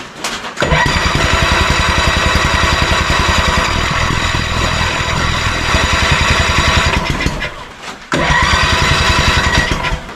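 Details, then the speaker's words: 1987 Honda 3813 lawn tractor abandoned for years, throttle cable broken, no radiator fan or clutch installed: fast, even cranking that never catches. Owner suspects timing; spark is present but plugs are bone dry, so suspects no fuel. "sounds like the timing is off let's just see if we're getting any kind of spark"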